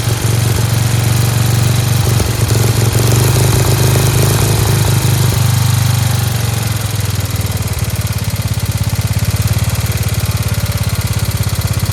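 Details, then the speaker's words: Dayton lawn tractor's 11 hp Briggs single-cylinder, started on its own with choke, crisp even putter holding a steady beat at slightly high idle with a spring disconnected; running healthy, like a hot rod. "It does sound like it's a little fast. There's a spring over there that's not connected. Thing's great. Sounds like a hot rod."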